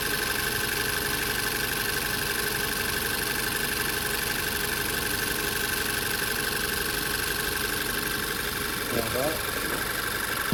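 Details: 2017 VW Tiguan with P0300 random misfire, after coil and spark plugs were changed, compression checked and an injector replaced: fairly steady idle with a constant hum and faint high whine, no obvious stumble; fix unconfirmed.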